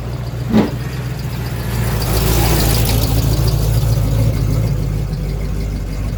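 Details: 1986 Chevy K5 Blazer, new long block after a blown head gasket, freshly started with timing set: steady, even idle with a smooth low rumble, no knocks or misses, one brief click early; healthy fresh engine.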